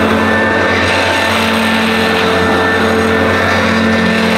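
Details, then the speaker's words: Mid-to-late 1980s Electrolux Z1030 Lite Special dirty-fan upright vacuum, first run after new cable and agitator belt: steady motor drone with faint whistling and a coarse, uneven edge; runs rough, squeaky, owner suspects bearings needing oiling, not terminal. "well everyone at least it works but I'm sure most of you realize that it doesn't sound quite as it should it sounds a little bit rough but I don't think it's terminal"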